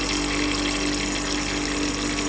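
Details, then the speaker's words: Heat pump hydronic system: a loud, steady hiss and rushing spray with a faint constant tone underneath, pressurised water escaping from a pipe bend on a fan coil unit that burst suddenly. "voir c'est une belle fite la CR lâcher d'un coup là c'est pas le résultatc je fermer la vanne donc on voit la fuite est"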